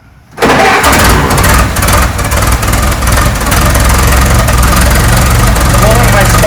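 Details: 1912 Ford Model T Speedster, 177ci inline-4, gravity-fed carburetor, cold start: cranks and catches within half a second, then a steady, even low chugging idle.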